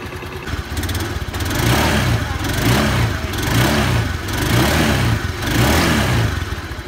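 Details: Honda Beat scooter after a CVT service with the belt reinstalled. It starts and revs smoothly in even rises and falls, with no rattle or slipping from the belt drive.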